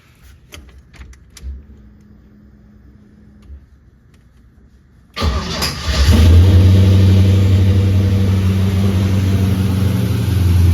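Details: 1984 Ford F150 V8 after replacing the number 8 spark plug, which had followed a noise: catches quickly and settles into a deep, steady, even idle with no tick or knock, 64 psi oil pressure, run briefly without coolant.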